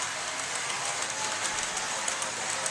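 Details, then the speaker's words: Tenshodo brass USRA 0-8-0 model steam locomotive creeping at low speed with a steady, harsh, gritty grinding hiss and faint ticks; gear grinding, cause unconfirmed. "you should be able to hear the grinding noise I'm talking about I don't ever run it very fast so it's not really a problem"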